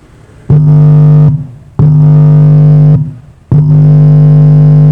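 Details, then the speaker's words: Repaired car power amplifier with worn potentiometers replaced, power light on and protect light off, speaker connected: touching the input gives three loud, steady low hums of about a second each. Output restored, normal. "Nah, dia sudah ini, kalau dikasih input itu sudah bunyi, suaranya sudah keluar. Jadi untuk sinyal inputnya itu sudah masuk."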